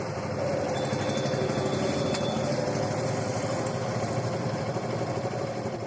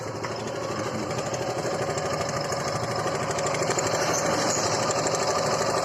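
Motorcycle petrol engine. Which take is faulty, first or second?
second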